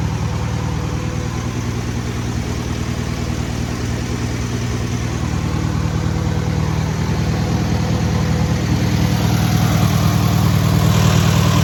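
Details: First start and break-in of a newly rebuilt air-cooled VW 1600cc flat-four: smooth, even chatter climbing gently as revs rise, no knocks or misses; normal running.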